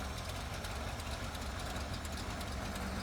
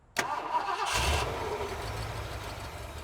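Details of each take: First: 1970s Ford pickup that sat about 25 years, running after fuel was primed up: low, steady rumble at idle with an even beat and no misses or stumbles. Runs smooth. Normal idle. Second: 1970s Ford F-series pickup with 460 big block, sat 25 years, just fitted a new fuel pump: starter spins the engine briefly, then fades without catching; cranks but not firing yet.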